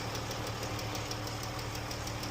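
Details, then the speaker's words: Jeep engine idling with light, quick ticking in time with engine speed; worn rocker arms and lifters, a known engine issue unrelated to the consistently changed oil. "But this is definitely a rocker arm and lifter problem."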